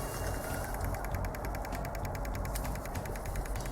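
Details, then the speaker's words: Common-rail pressure control valve of a 2.0 diesel engine, checked for code P0088 and driven by a pulse generator from 2 ms up to 18 ms (39% duty): very quiet, crisp, even ticking at about ten per second over a faint hum; the valve actuates normally. "natomiast jest to bardzo ciche ale Niemniej jednak będzie słychać jego pracy"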